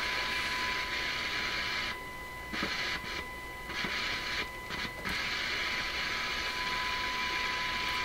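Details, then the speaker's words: PYE 39HC shortwave broadcast receiver on AM, bass/feedback adjusted: steady whistles cut by sudden crackling dropouts and bursts; an intermittent ground wire is suspected. "That ground wire seems to be intermittent."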